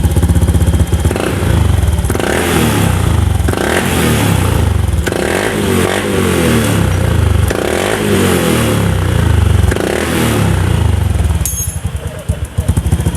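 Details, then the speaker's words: Honda Beat FI injection scooter after resetting the TP sensor by cycling the key on and off five times, idling near 1500 rpm. Repeated quick revs pick up cleanly without the earlier stumble; throttle now responds crisply. "Rasanya nyaman sekarang, spontan dan responsif terhadap masukan kami ."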